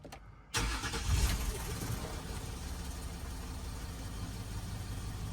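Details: Land Rover Discovery 4 diesel after injector resealing (liquid sprayed to check seals, slight smoke, no leak): quick crank, then the engine catches and settles into a smooth, steady low idle with no knocks or misses; sounds healthy.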